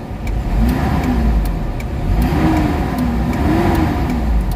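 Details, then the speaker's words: Mitsubishi Adventure gasoline engine, before Xado engine treatment: slow soft rev swells with little bite, pulling lazily; engine only picks up at 2,000 rpm instead of 750–800, slight compression leak suspected, low power. "Hindi siya gaanong galit. Ibig sabihin singaw siya ng kaunti. Nasa 2,000 RPM bago magalit yung makina."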